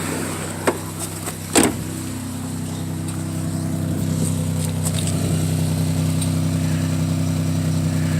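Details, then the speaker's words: 2006 Chevy Equinox after muffler replacement, exhaust clamps tightened: after a few key clinks the engine settles into a smooth, even idle with a low, steady exhaust tone and no leak puffing, then gets a throttle blip; normal exhaust note. "Grab the gas. I'll take that any day of the week."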